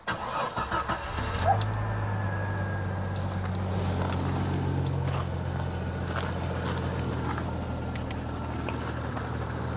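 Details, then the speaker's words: Jeep 4.0L petrol running E85 through an Eco System V3 ethanol box, just after fitting Maxpeedingrods BMW injectors: catches after a short crank, then steady even low idle, no misses. Normal start; the old injectors were worn and ran it lean. "Et tu as vu que moi, avec tout neuf dessus, ça tourne nickel."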